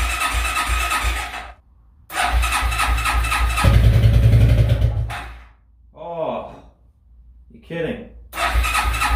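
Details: Suzuki ATV barn find after long storage, fresh fuel, newly connected battery, full choke: gaps, then a few loose crank pulses; engine catches and runs a rough rhythmic idle, starting and keeping running.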